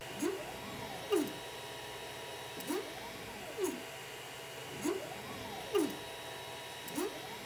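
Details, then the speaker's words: 3D printer moving after upgrading the 3DTouch/BLTouch bed-level sensor to the plastic-pin version: motors sing in rising and falling sweeps with clicks at reversals and faint buzz; pin vibration reduced but not gone, plus another unlocated vibration source. "it's true that the new sensor has a tighter tolerance and that pin doesn't vibrate as much in the body of the sensor but still the vibration is not completely gone"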